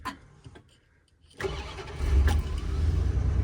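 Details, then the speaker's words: Shadow van engine restarting after being found running with original fuel system: silence, short crank, fires straight into smooth steady idle; clean normal start, 12 V system working. "Oh, it starts up like a top. 12 volt works as well."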